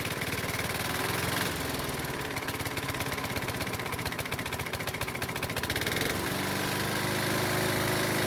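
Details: Used Honda lawnmower engine, oil-burning, running after spark plug was found the cause of its no-start: loud harsh running with rough rapid knock a few per second — rod knock.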